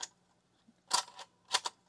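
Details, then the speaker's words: LS-120 setup bench test: standard floppy drive powered via adapter from a proven power supply, no computer attached, disk inserted: faint steady motor hum under sharp mechanical clicks as it spins the disk; adapter and floppy drive work normally. "yep I could hear it spinning okay so the adapter works floppy Drive works"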